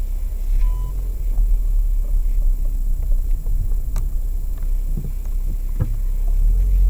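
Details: Lada Vesta SW 2019, 1.6 manual, about 7,900–8,000 km, first winter: heavy road rumble on rough dirt with sharp isolated knocks from the front over bumps; right front shock absorber found misting/leaking, warranty claim, cause of knock not confirmed.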